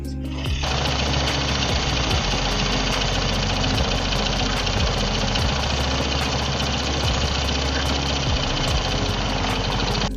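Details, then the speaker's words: Honda Karisma motorcycle at idle with slightly rough sound around the magneto cover: fast, steady hollow rattle-knock; diagnosed as a worn, loose piston slapping the cylinder liner, not the magneto side. "Kalau menurut saya, versi saya Surya 512, itu suara yang ditimbulkan oleh piston yang sudah oblak ataupun koplak ataupun longgar seperti itu ya."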